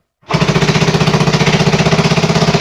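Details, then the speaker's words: 1974 Honda XR75 at its first start after a two-year restoration, kicked again indoors with the side cover off: it catches at once and settles into a quick, even single-cylinder thump about sixteen a second. It is a little smoky, but it is a runner. "But it's a little smoky in here, but not too bad. Look at that. It is a runner."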